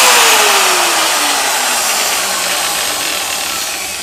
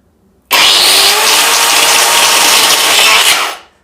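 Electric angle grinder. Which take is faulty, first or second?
second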